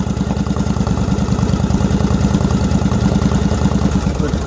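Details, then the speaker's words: 2001 Yamaha V-Star 1100 Classic Silverado, about 6,000 miles, still cold: uneven loping V-twin idle about three beats per second with sharp pops; owner suspects lean running or choke issue. "Maybe she's running too lean. That's why she's popping."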